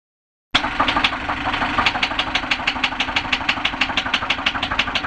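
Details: 2014 Hyundai Elantra 2.0 petrol engine idling with a sharp, regular metallic bottom-end rod knock about three times a second; spun #2 rod bearing scored the crankshaft and circulated bearing material; engine clean, no sludge, no lube shortage or leaks.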